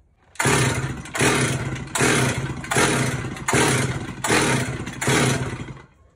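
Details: Stihl chainsaw that won't start: seven quick recoil pulls, about one per second, each a brief rasping crank that never catches. The saw is flooded with fuel.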